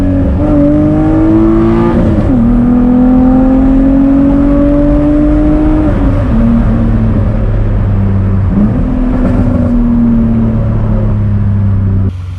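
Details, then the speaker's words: BMW E46 on a test drive after fixes for a handbrake shoe drag at the back left wheel and an AC pulley noise on cold start: smooth note climbing through the gears with clean shifts, no whine or scraping; healthy under acceleration. "now of course sounds normal it sounds healthy and uh let's get another pull for you guys real quick"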